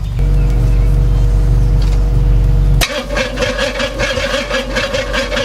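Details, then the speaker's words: Freshly built engine on its first fire-up with a new Holley Street Demon carburetor: steady starter cranking, a slow chug of about 2–3 beats a second, never catching. Fuel reaches the line but not past the fuel filter. Crank, no start. "So I've been cranking this thing for the past, I don't know how long, just been cranking it."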